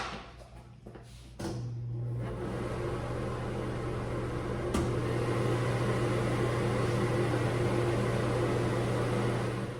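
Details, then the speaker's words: Newly installed wall-mount kitchen range hood, 3-speed exhaust fan: after a click it starts with a steady low hum and even airflow, light damper flapping on top, no leaks felt; works fine. "So yeah, it's working. I can hear that flapping there. 3-speed fan, and I don't feel any leaks."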